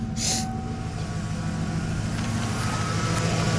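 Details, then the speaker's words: Ford 302 V8 after a new TFI module and distributor, timing not yet set: a low, slightly uneven, loping idle; still running rough and a bit rich, pending timing adjustment. "Let's see if it'll fire up. I believe it should. It's still running a little bit rough."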